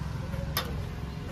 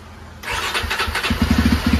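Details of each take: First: Jawa 42 motorcycle over three years old; battery reads about 12.3 V and drops to about 11 V on cranking, with a red warning light. A single click with no cranking: weak battery. A new battery fixed it. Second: Jawa 42 motorcycle after battery replacement: engine catches promptly on the electric starter and settles into a steady, even idle. Before this, the old battery's voltage sagged and the bike would not self-start.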